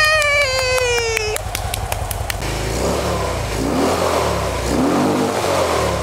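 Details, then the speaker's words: Harley-Davidson V-twin with loud Screamin' Eagle exhaust revving after repair: lumpy pulses rising and settling cleanly with throttle; oil light went out right away so oil pressure is good, check-engine light attributed to oxygen sensor. "Escucha. Se oye bien. La luz del aceite se apagó enseguida, así que hay presión de aceite. Todo bien ahí. ¡Suena muy hermoso!"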